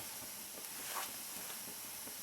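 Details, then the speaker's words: Rebuilt SVEA 123 backpacking stove, self-pressurizing from tank heat without pumping: a steady, even high hiss as pressure builds, with no sputtering or pops; normal healthy priming. "Takes it a second to prime because you got to develop that pressure in the tank, and once you get it primed, it's a great little stove."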